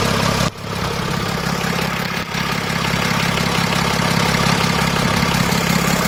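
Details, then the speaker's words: BMW X6 diesel at idle after partial cleaning of soot from the intake manifold, intake ports, valves and pistons: only a faint metallic rattle remains, much quieter than the earlier uncleaned exhaust rattle from carbon buildup. "you want to start the car so you can hear that the noise is getting less and less and less and you can t hear anymore"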